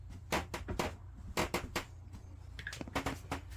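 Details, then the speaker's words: Caravan bathroom floor, present since purchase about a month ago: irregular sharp creaks and cracks with each footstep; owner suspects loose screws fixing furniture to the floor or loose bolts underneath. "it's a creaky floor in our bathroom so i'll try and demonstrate this for you now so we're in the bathroom you can hear that there"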